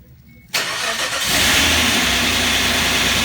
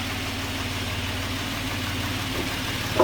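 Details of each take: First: Suzuki Grand Vitara H25A V6, first start after engine rebuild: cranks and catches, then idles with light, rapid metallic tapping from hydraulic lifters not yet filled with oil; expected to fade after running. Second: Suzuki Grand Vitara H25A petrol V6 with high oil consumption, idling smoothly after about 15 minutes of running, steady low hum; earlier ticking from hydraulic lifters not yet filled with oil has disappeared, no abnormal noises.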